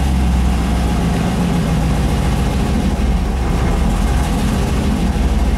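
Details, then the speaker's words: 5.3 V8 turbo swap in a Mustang, just after motor/transmission installation: idle air control pushed shut and the idle being adjusted; deep, even, smooth low idle with no ticking, sounding much better. "Sounds much better, though. It'll idle nice and low."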